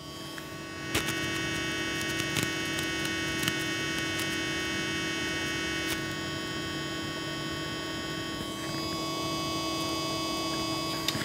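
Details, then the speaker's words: Antec Vortex 360mm AIO liquid CPU cooler: constant, fairly low whine with thin high tones and faint ticks from the pump, which is whiny and annoying. "Okay, so this is the actual sound I'm getting from the pump. I don't know if you can actually hear it. It's like a very whine."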